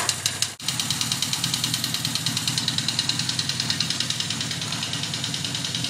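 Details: 1979 Yamaha XS1100 Special, about 11,000 on the clock, at idle: sharp regular clack about three times a second, fading at higher revs; owner doubts rod knock, suspects a valve or a cylinder not firing, source needs teardown.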